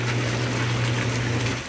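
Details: Whirlpool/Jacuzzi Cielo jetted tub pump running again after a seized motor that only hummed was freed by prying the fan blade: steady low motor hum with rushing, churning water, normal operation.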